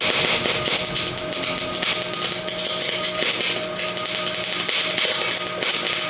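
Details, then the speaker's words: MIG welding with voltage set too high: loud hissy crackle with uneven pops and dropouts; wire balls up and drops into puddle instead of reaching it, puddle watery and out of control, bead flat and unfilled. "So on the other hand, here's too much voltage. And it's hard to tell in this clip, but the wire is actually not reaching the puddle right now. It's just balling up and just dropping into it."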